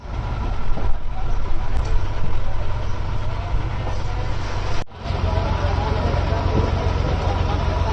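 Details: Six-cylinder truck diesel after rebuild: starts into deep even rumble with no knocks or misses, one brief dip midway, settling into steady run, normal diesel idle.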